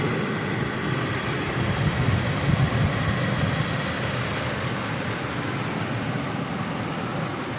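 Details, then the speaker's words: 2001 Ford F-150 XLT V8, warm after a drive: quiet, even idle with smooth low rumble and no ticks or knocks; normal idle. "but it is warmed up i just drove it and as you can see it's quiet"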